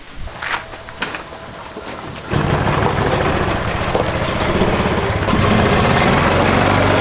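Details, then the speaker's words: Old worn golf cart engine after top-end rebuild and head gasket sealing for a compression leak: fires after a few cranks, steady even putter with light valve tick, no air-leak hiss; running normally. "Well, I don't hear that air leak anymore. A bit of valve noise, but uh the thing's old and it's wore out. That's to be expected."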